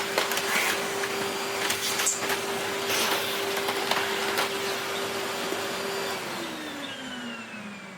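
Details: Hitachi Powerhouse CV-460D upright vacuum, circa late 1980s–early 1990s, motor run alone: clean constant-pitch high whine, even falling wind-down without rattle; healthy motor, wind-down noted as a bit dry.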